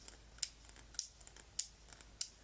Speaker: Something is majorly wrong with this lock, that at least the one I just got out of the package, it's really bad. It's so, I mean, you can hear it, how crunchy that